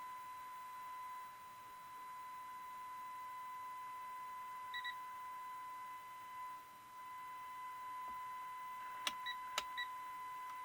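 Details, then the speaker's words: Restored Philco cathedral radio during final IF alignment: steady high test tone with faint overtones, level shifting as the IF trimmer is tuned by ear to peak; IF alignment tone peaking. "oh that sounds good let's lower the volume a little that's about peak there"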